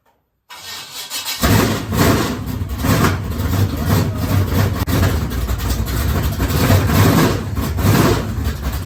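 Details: Dirt race car after fitting a tighter double throttle spring to stop a sticking throttle: cranks and catches within a second, settles to a strong steady run with clean blips, throttle returns properly; normal start and rev.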